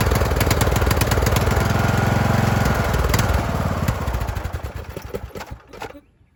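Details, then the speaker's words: Craftsman YT3000 mower running with a rough, uneven surge that rises and sags while the choke is worked by hand to smooth it, then winds down and stops; surging (hunting) idle, engine later swapped for a good one with new carb. "You guys can hear it. It is surging. I was just kind of manually playing with the choke on there to get it to smooth out a little bit."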